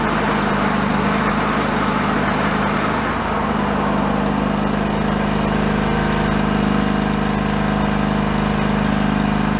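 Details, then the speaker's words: John Deere LX178 riding mower running its deck: steady, even small-engine drone but slow, lazy beat; engine speed too low under load, needs more rpm. Cause suspected, not confirmed. "but we need more rpm"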